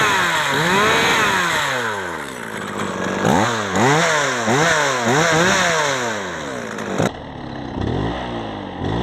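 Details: Old Japanese chainsaw, after carburetor cleaning and full reassembly with air filter and covers fitted: it revs up and down cleanly and repeatedly without stumbling or bogging. It runs normally.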